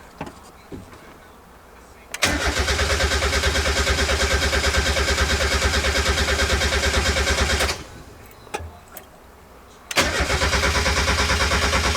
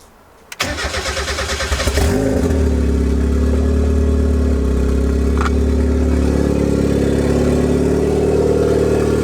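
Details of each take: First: Turbo Mazda Miata first start-up build, fuel pump relay unhooked and all four injector clips disconnected; two long bursts of even cranking about three turns a second that never catch, cranked just to prime oil. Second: Turbo Miata four-cylinder, first start after the turbo build, injectors reconnected: cranks, catches and settles into an idle that wavers and hunts. Base idle still needs adjusting; coating burning off smokes.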